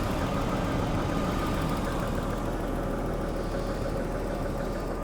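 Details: Daimler XJ40 that broke down on the highway: a steady, even idle with no misses or surging while coil connections and other wiring are wiggled. Owner next wonders whether a poorly seated part was making a bad connection.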